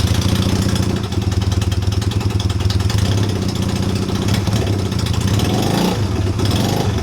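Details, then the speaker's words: Honda CB250 scrambler build, first start in a while on a charged battery with new mufflers fitted, cold on choke: steady, even low thump at idle, regular firing, no knocks or misses; healthy. "I've got the battery on charge, so it should fire up. It's not been fired up for a while. We'll see how it goes. A bit of choke and"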